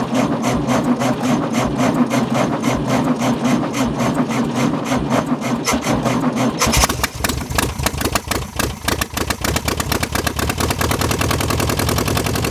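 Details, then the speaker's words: 1966 VW Beetle air-cooled flat-four on first start; cranking, then fires into a loud, uneven rapping idle with harsh open-pipe crackle because only half the muffler/exhaust is fitted. "and it's kind of loud with only half an exhaust"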